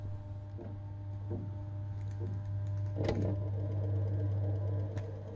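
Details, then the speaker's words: Dishwasher at end of clean-water fill when wash pump should start: steady low electrical hum, faint ticking, no spin-up; pump motor powered but likely seized by limescale buildup, no washing occurs until the appliance's protection cuts it off. "continúa recibiendo tensión pero el motor no arranca podría quemarse afortunadamente los electrodomésticos contienen un dispositivo que si detecta que el motor no ha arrancado en determinado tiempo lo desconecta cuando se para el llenado del agua porque ya ha llegado su nivel podemos escuchar perfectamente este sonido"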